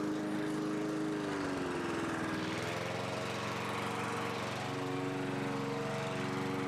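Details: 1982 John Deere 21 SP mower, single-cylinder engine after refurbishment with new old stock points and condenser gapped to .020: strong steady buzz, brief dip then straight back to governed speed, held smoothly; healthy.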